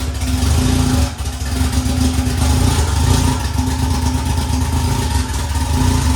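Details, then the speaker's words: Honda S2000 after head gasket install, non-interference engine: rough, uneven running that stumbles, no throttle response, very little compression and won't rev up; cams suspected then confirmed one tooth off. "prime example of what the car sounds like if you're off a tooth so if you're off a tooth um the car just has no response very little compression as you could tell I couldn't get it to rev up"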